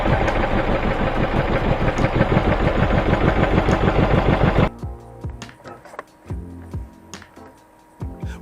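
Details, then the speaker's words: Peugeot 207 1.6 petrol running unevenly: rough lumpy misfire about three pulses a second, code P1340 pointing to a faulty cylinder 4 ignition coil, fixed by replacing the coil. "On a Pujo 207 petrol 1.6, the engine started running unevenly. The computer shows an error."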